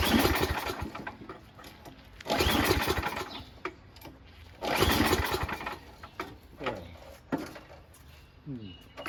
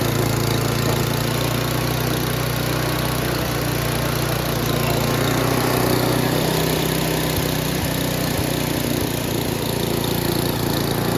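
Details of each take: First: Noma/Murray Snow King 27" dual-stage snowblower, 9HP Tecumseh, before repair, with fuel and oil checked, primed, on choke and throttle high: slow recoil pulls turn it over without a single firing stroke. The owner suspects no spark or the shutoff; the plug looks new and clean. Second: Noma/Murray Snow King 27" dual-stage snowblower, 9HP Tecumseh, after HIPA carburetor replacement: an even, unbroken drone at full throttle with no misses or surging. Normal running; the owner wants to lower the very high full-throttle engine speed.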